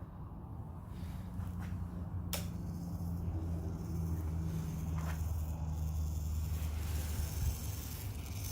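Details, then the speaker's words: 1991 Kawasaki ZXR750 turbo, long-stored, key on without engine running: steady low hum with faint drone from the electric oil scavenge pump; fuel pump not running; electric pump running. "hear the oil scavenge pump working or trying to work yeah I can feel that working"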